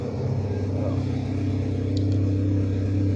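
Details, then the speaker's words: Holed exhaust before replacement, engine idling and warming: low uneven chuffing rumble with raw unmuffled edge, almost nothing exiting the tailpipe; exhaust blowing before the tailpipe, exhaust leak. "Chose qu'on peut faire, c'est démarrer pour se rappeler le bruit que fait cet échappement avant de le changer. On va voir s'il y a vraiment une grosse différence entre un échappement percé et un échappement pas percé."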